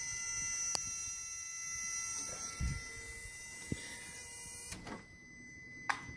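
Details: 1978 VW Scirocco with a 24v VR6 swap, engine running: a steady high-pitched buzz with sharp clicks from the fan-circuit relay; the owner suspects a bad ground.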